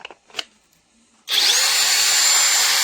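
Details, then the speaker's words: Parkside Performance X20V Team impact driver repaired with an AliExpress board and adapter, wires taped in place; strong, steady high-pitched whir at even speed, winding down cleanly; normal running. "elle a l'air de bien dégommer en plus."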